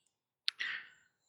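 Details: Nikon Nikkor Z DX 50-250mm f/4.5-6.3 VR shaken while unpowered gives a sharp click then a brief light rattle; the floating VR elements move freely without power, which is normal, not a fault.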